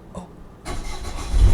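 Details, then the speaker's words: Dynamax Europa 34SS Super C motorhome onboard diesel generator, mid-winter start after winterizing, with owners worried about gelled fuel: after cranking it catches into a low, rough rumble, struggling a little. Hard starting in cold weather. "You can hear it struggling just a little."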